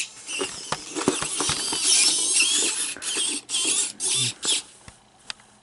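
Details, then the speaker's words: Robopet toy whose torso barely moves: short harsh buzzing bursts between clicks and servo chatter as the leg stalls and locks; owner suspects the drive motor is going bad; buzzing drive motor. "sounds like the motor is dying did I hear a buzzing sound"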